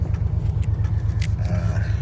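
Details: 1999 Ford Ranger XLT 4.0 4x4, no muffler with glasspacks, warming up: loud uneven loping idle pulse about ten a second, hard start, no codes; owner suspects cracked ignition coil, before coil replacement; rough idle misfire.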